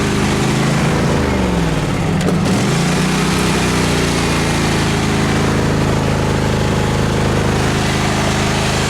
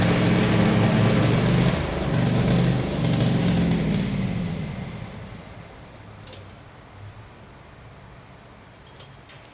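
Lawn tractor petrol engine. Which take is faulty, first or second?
second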